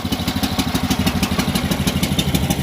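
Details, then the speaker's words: Homemade karakat all-terrain vehicle with small single-cylinder petrol engine, started with choke pulled out hard: quick, even putter settling into a steady idle, running normally. "О, всё, гудит. Всё. Вот такие вездеходы."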